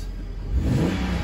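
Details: Salvaged BMW E92 325i LCI six-cylinder, 41,966 miles, coolant lost from broken radiators, first start after blow-off valve fix: short clean rise in engine speed, smooth, no knocks or rattles; normal revving.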